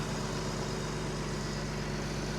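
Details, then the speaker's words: Salvage 1992 BMW 325ic, jump-started, with the alternator charging: a smooth, even idle with a steady low hum and no ticks, knocks or speed wobble; the engine sounds healthy. "let's hear how everything is sounding under here sounds good to me guys again alternator is charging"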